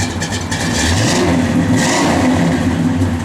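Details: 1967 Pontiac GTO, YS-code 400 ci V8, 4-barrel, 670 heads, H-pipe Flowmaster dual exhaust, mild cam: deep burble with clean throttle blips rising and falling smoothly, mild lope at idle; normal revving, healthy engine.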